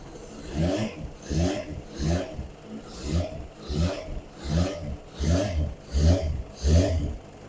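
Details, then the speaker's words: Kawasaki ZZR600 project bike, stone cold with choke off, tank nearly empty, one opening blanked off by hand; steady four-cylinder beat with occasional uneven stumble; slight misfire, with air leaks noted. "Oh, that's why it sounds rubbish. Ah, right, okay. So if I do that again, and you blank that off, yeah, you won't hear it. Oh, it's got a slight miss."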